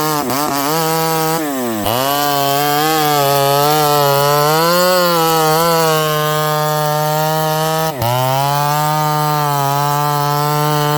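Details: Ported Homelite 922 chainsaw after clutch and fuel line repair and cooler heat-range plug, cutting very hard wood: steady two-stroke scream holding pitch through the cut, bogging briefly and recovering cleanly; normal running under load.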